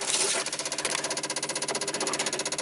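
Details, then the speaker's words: 1995 Dodge Ram V10 cold no-start, engine off: ASD and fuel pump relays click rapidly and evenly, about ten per second, growing louder as the PCM warms and tries to ground the control side; 8 V reference sagging near 6 V, bad PCM suspected. "see how it's trying to pull the uh the control side trying to ground it and the relays are clicking louder and louder that's getting better and better"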